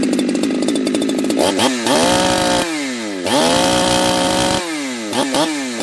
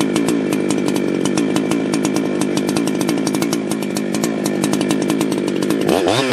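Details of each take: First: Ported chainsaw at full throttle, air filter off, on a cool, humid day, with the tach reading about 11,000 rpm. The revs dip and climb with a slightly burbly, blubbery edge. The high-speed mixture is rich; next step is leaning the high screw about half a turn. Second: Ported chainsaw, freshly tuned, measured with a wireless tach. A steady, even two-stroke idle of about 3,000 rpm with a clean rhythm, then a sharp rise toward full throttle reading 14,140 rpm. It sounds properly tuned.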